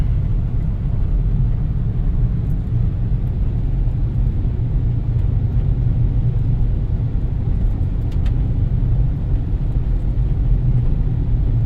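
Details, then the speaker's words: 1991 Dodge Grand Caravan SE, parked for over 21 years, driving after new shocks: a smooth, even road rumble with no squeaks or clunks over bumps; the suspension is tight and quiet. "You can already tell the difference in the way it it uh rides. You don't hear that uh squeaky clunky. Feels feels good with those shocks."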